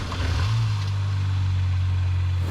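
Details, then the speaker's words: 2005 Mini Cooper 1.6 at 123,000 miles, which has a gearbox/clutch fault that makes a noise when the clutch pedal is pressed. Clutch not pressed here: steady, even low hum with no knocks, ticks or misses; normal idle. "so the car doesn't sound bad at all on idol the engine side of things even though this car is on 123,000 Mi it's still sounds mint"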